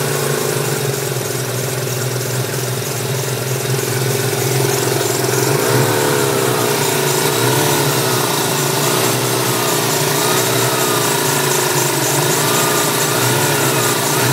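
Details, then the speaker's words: 1994 Ford Mustang, intake, cam and exhaust, BBK throttle: thin whine over engine rising and falling with throttle blips, plus a squeak. Owner suspects smog pump for the whine and tensioner pulley for the squeak; unconfirmed. "but it really sounds like the the whining noise coming from the smog yeah that's uh basically what i'm working with"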